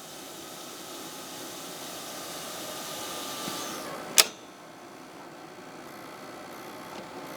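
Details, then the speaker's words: 1990 Sony BVU-950 3/4" U-matic VTR after belt replacement; soft, even hiss of tape winding at speed with one sharp click midway, transport fast forwarding smoothly: normal fast forward. "Oh, now it's playing, I think. Is it playing? Now it's fast forwarding."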